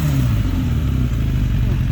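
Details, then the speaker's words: Lowered 2006 Suzuki Katana motorcycle revved after startup, deep smooth engine note holding steady without misses or clatter, pulls cleanly; healthy revving, described as more torquey than a comparison bike. "that sounds good oh man wow okay so what do how do it compare to your as in just straight up acceleration there is no comparison this thing is definitely more torquier than mine"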